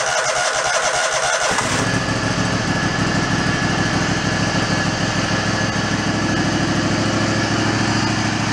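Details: Mid-90s Toro Wheel Horse riding mower after restoring fuse power: short cranking, then the engine catches and settles into a steady, even chug with no stalling or hunting.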